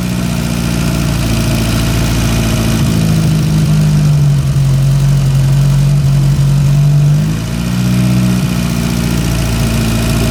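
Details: Porsche 924 Turbo, long-sitting, with new spark plug wires, vacuum hose to the back of the distributor (retard) reconnected: steady idle, then revs rise and fall smoothly and the turbo spools up well. Normal.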